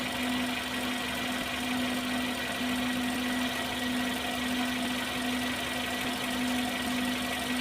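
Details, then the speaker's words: Car engine idling after DIY cylinder head decarbonizing, throttle body, spark plug and combustion chamber cleaning: steady, even idle hum with no knocks or misses, vibration smooth; normal idle. "Lihat kondisi engine-nya tidak ada getaran sama sekali. Halus. Oke, itu balik semua. Kita cek nih. Weh, getarannya halus."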